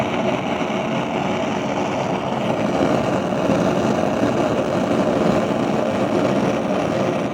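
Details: Gas stove burner while cooking gives a steady, loud rushing roar with no pulsing, far harsher than a normal flame; the owner blames a device used by downstairs tenants. The cause is unconfirmed.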